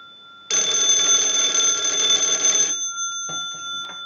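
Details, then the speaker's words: Wood wall 317A telephone on final checkout, analyzer sending a ring cycle like an incoming call: bright, fast metallic ring about two seconds with faint clapper tail; bell rings strongly and evenly, normal. "now what we want to do is use the analyzer and send a ring cycle like you are getting a call"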